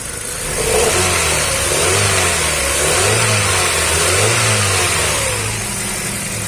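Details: Hyundai i20 petrol engine revving up and settling smoothly with no misses, after a faulty ignition coil causing misfire, poor pickup and low mileage was replaced with a new one.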